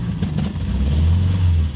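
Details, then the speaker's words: 1966 MGB GT, B-series engine, first start in several years, new battery and fresh fuel, good oil pressure, no smoke: lumpy uneven beat that stumbles beyond the lightest throttle; misfire, cause not found, may clear after running. "there's definitely a misfire when you try and apply the accelerator really anything more than the lightest of TAPS in"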